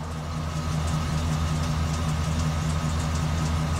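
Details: 2005 Chevy Express G2500 van, P0300, check engine light, runs rough despite new plugs and wires: low idle with uneven lumpy pulse two to three beats a second; random misfire, suspected vacuum leak from long-term fuel trim, unconfirmed.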